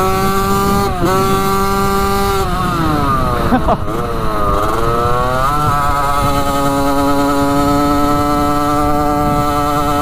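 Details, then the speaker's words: Rebuilt 1985 Yamaha YZ80 two-stroke dirt bike, warm and starting first kick, on its first ride: a crisp, even buzz dips and climbs cleanly with the throttle, no misfires or knocks. The silencer is not working well. Normal two-stroke running. "she's a little ripper sounds so good yeah she's sounding pretty good"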